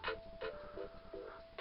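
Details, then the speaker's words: Campervan speakers fed by aux from a laptop running on battery with the charger unplugged: crisp, clear music with no hum, buzz or interference. Interference appears only when the laptop is powered. "you hear that's nice crisp clear music there's no interference coming through that at all whatsoever"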